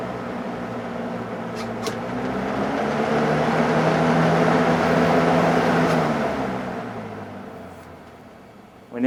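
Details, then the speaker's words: Window fan with Lasko plastic motor housing, motor bearings previously binding and misaligned, rebuilt and regreased: motor spools up smoothly to a steady hum, holds evenly, then winds down; bearings free, normal startup. "giving the plastic motor housing and everything and these fans it has a really good startup sound"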